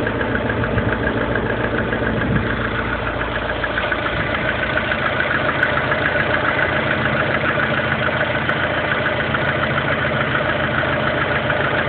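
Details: Lada Kalina 1.4 16-valve engine at idle: a fairly regular light tapping of about two beats a second over the engine hum. Engine knock, source unclear.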